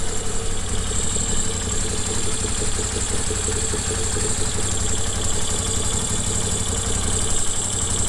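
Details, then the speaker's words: Moto Guzzi that left its owner stranded, idling while warming up: even, steady rumble with no knocks or ticks; the noise appeared when put in gear, and top-end valve trouble is suspected but not confirmed. "all right so that sounds good let's plan to idle for a second to warm up a little bit"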